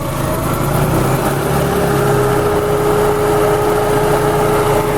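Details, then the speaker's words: Engine idling with diagnostic TE1 terminal shorted by paper clip; steady even idle with slight dip in speed as computer enters timing-set mode, normal. "I could hear the engine idle down a little bit so I know that it's the computer knows that I'm ready to change the timing"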